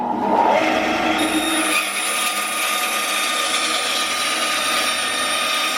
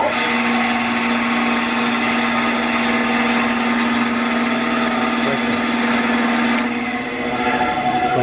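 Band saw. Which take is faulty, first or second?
second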